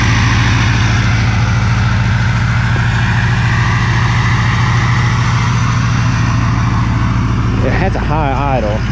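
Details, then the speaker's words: Diesel truck on synthetic oil, started cold after freezing Virginia weather; steady loud clatter at a raised, even idle with no stumbles; normal cold-start high idle, louder than a Duramax. "okay cycle it here for you and let you hear it hopefully she'll start real cold natured but that's alright"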